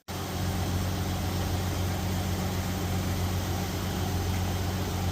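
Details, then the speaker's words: Jeep Cherokee 4.0L, 345,000 miles, cold, just rebuilt with used pistons replacing a cracked one: quiet, even idle, smooth low hum, steady firing, no knocking, tapping or clattering; normal. "I don't think I've ever heard it that quiet. And this is cold."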